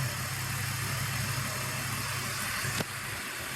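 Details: BMW E46 after a DIY AC recharge, engine idling with the AC on and vents blowing cold: steady idle hum, then a sharp click and a drop in load as the compressor clutch lets go, cycling from a still-low refrigerant charge.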